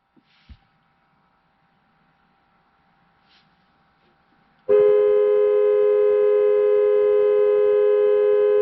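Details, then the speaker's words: 2009 Buick Lacrosse horn switched on by an Xtool D8 scan tool body control module actuation test: a steady, clear two-tone blare that holds without wavering; the horn works normally. "let's see what we'll do horn because you should be able to hear the horn i'm gonna hit on"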